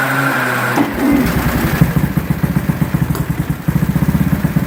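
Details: 1920s grass-track bike with 350cc four-valve Rudge single, assumed running on methanol through a large twin-float carburetor: catches after a few turns and settles into a crisp, even beat of roughly five firings a second, running clean.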